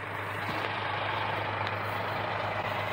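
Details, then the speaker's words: 1965 Mack B61 dump truck, first start after sitting about 25 years: steady hiss under a low diesel idle drum, air leaking at the rear; owner suspects brake chambers or a hose. Air leak hiss. "Yeah, we got leaking on the back. I can hear it now. Probably go buy a couple fresh chambers for it. It's either that or it's going to be a hose."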